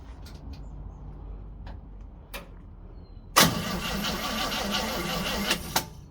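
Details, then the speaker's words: 1936 Oldsmobile engine, not run in 25+ years, cranking without starting: a few quiet knocks then steady starter grinding for about two seconds; owner suspects too little fuel, and the starter seems weak. "I don't think it's got enough fuel in it."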